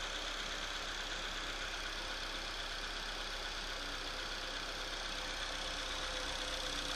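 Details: Opel/Chevrolet Astra engine at cold idle just after start, making a quick, fairly steady ticking-knock of about four per second over a hissy background; abnormal cold-start engine noise, source unclear.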